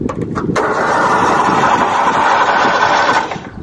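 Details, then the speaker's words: Old mower unused for years, gas about 8 years old and dried out: starter turns engine over steadily about three seconds but never catches; cranks but won't start. "It's doing something. That don't sound good."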